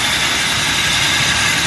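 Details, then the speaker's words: Toyota Revo gasoline, distributor-type engine warmed up, idling: steady harsh gritty hiss high above the motor near the power steering belt; worn, loose tensioner pulley bearing, replaced. "Okay so ang problema nito is Yung kanyang pulley guys napakaingay nitong bearing"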